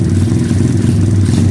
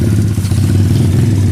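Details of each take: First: 2013 SSR 110cc full-manual single-cylinder pit bike: a fast, even idle that never settles, finicky because the wrong throttle cable is fitted and sticks. The bike also runs rich and smoky, and the owner says the ignition coil needs replacing. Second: 2013 SSR 110cc full-manual single-cylinder pit bike after a valve lash adjustment cured its rattle: a steady even thump at a slightly fast idle with no top-end ticking. The idle is high from a sticky, incorrect throttle cable.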